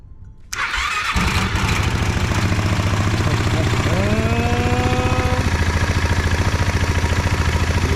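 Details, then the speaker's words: Honda Ruckus with swapped Yamaha Majesty 400 engine, first startup after wiring work, radiator not yet connected: brief crank, then a clean catch into a steady, even low-pitched idle with quick regular pulses. "All right, hopefully it doesn't start smoking. Nope, sounds good."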